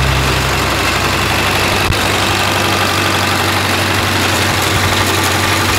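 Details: Freshly rebuilt 1932 Ford Model B four-cylinder, very first start: loud uneven idle with occasional stumble and chuff; misfire, later addressed with new points, retiming and float adjustment.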